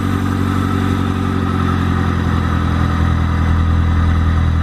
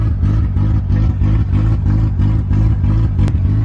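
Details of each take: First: EG8 first start after the build on a snowy day, with the idle air control valve cleaned to cure an earlier idle issue: steady, even idle hum, then one clean rev past 2K that settles smoothly. Sounds healthy; thermostat change still planned. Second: Honda EG8 Civic, first cold start after oil priming: heavy, lumpy idle pulsing about three times a second and never settling. A vacuum leak is suspected.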